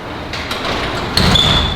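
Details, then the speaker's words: DDM high-lift garage door conversion with Chamberlain RJO70 opener, cut flat instead of at -7 degrees causing track misalignment: door rumbles, then a sharp thump and thin scraping squeal as it binds on the frame, leaving rub marks. "You hear that? Right about there? That is the door binding on the frame right here."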